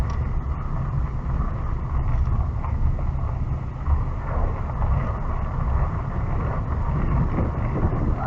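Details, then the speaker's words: Nissan D40 Navara test drive after changing front/rear differential, gearbox and transfer case oils, 4WD high, full-lock circle: steady low road rumble and wind, no clunks, binding or whine; drivetrain normal. "And then we just listen. Let's circle away. So you can hear the slip diff locking, so that's good."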